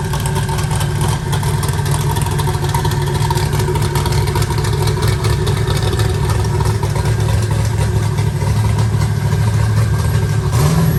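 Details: Eagle Talon rewired and converted from Pro EFI to Holley: a steady, even low rumble with no misses or stumbles, a healthy idle firing on all cylinders.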